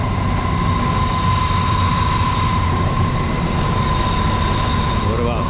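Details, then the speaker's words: Johnson Controls packaged water source heat pump after new belts and screwing down the loose cover panel. Even, steady mid-pitched hum with no rattles or buzzing from the cabinet; earlier loud noise gone, normal operation. "all right check it out guys nice and quiet had to drill in a little screw there"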